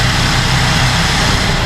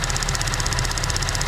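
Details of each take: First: 2014 GMC Acadia after purge valve replacement (lifter-tick-like clanking from bad purge valve): smooth, steady idle with even rumble, no more ticking or clanking. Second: 2014 GMC Acadia idling, engine not fully warm: a fast, even tick about sixteen times a second, like lifter tick, from a failing purge valve; it gets louder as the engine warms and goes much quieter when the valve is pulled off.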